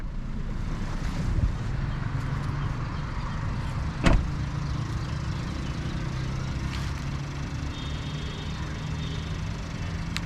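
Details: 2021 Suzuki Alto VXR/VXL 660cc revved while parked, heard from outside: low even hum with no knocks, rattles or misses; engine healthy.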